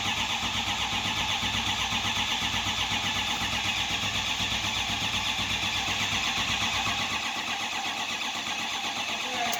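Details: 2005 6.0 Powerstroke diesel cranks steadily at about two and a half beats a second with no firing or catch; crank, no start.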